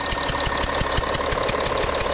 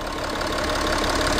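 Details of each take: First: 2012 Audi Q7 diesel, cold-morning start, at idle: rhythmic puffing hiss about six times a second from the engine top; owner suspects a leaking copper injector seal on one side, with diesel smell. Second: 2012 Audi Q7 diesel at idle after injector repair: an even, steady diesel clatter with no hiss or leak noise. The hissing is fixed and the engine runs healthy.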